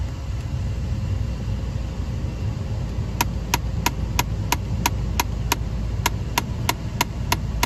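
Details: 2011 Ford Flex, key on, recirculation air door actuator behind the glove box: idle hum, then a sharp click about every third of a second. The actuator's worn gear teeth are skipping, and the fix is replacing the actuator.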